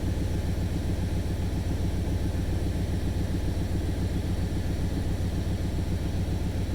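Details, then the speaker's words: 1995 Chevy Suburban first start after cylinder head rebuild, before timing set: deep smooth idle with regular puffing tick about three to four per second from a known bad exhaust leak. "checking for leaks alternator coolant definitely an exhaust leak but i knew that"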